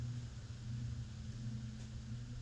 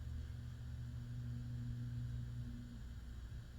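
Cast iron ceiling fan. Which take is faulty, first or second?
second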